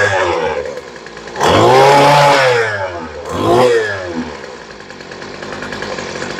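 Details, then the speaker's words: Two-stroke weed eater with a new replacement carburetor, low-speed screw turned out for more fuel: climbs sluggishly on each blip then sags to a slow buzzing idle; still revving slow, low-speed mixture lean. "so the first thing we're going to try is a little bit more gas by turning it out yeah she's still revving a little bit slow"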